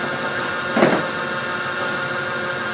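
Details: Resealed Land Rover 300Tdi power steering pump on a motor-driven bench rig, run about half an hour: steady whir with a short surge as pressure builds; pump healthy, no groan.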